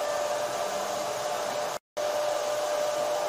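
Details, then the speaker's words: Flying Bear LaserMan laser cutting/engraving machine running an engraving job with its filter system on: smooth steady airy whoosh and constant mid-pitched hum from the cabinet fan cooling the electronics, no rattles; normal fan operation. "Machine के चलने के दौरान आपको पंखे की हल्की आवाज भी सुनाई दे सकती है। यह ध्वनि मुख्य कैबिनेट के अंदर इलेक्ट्रॉनिक सर्किट को गर्म होने से रोकने का काम करती है ।"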